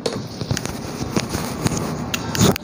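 Sharp dry clicks every half second or so over faint background, the relay cycling on and off from a corroded open board trace.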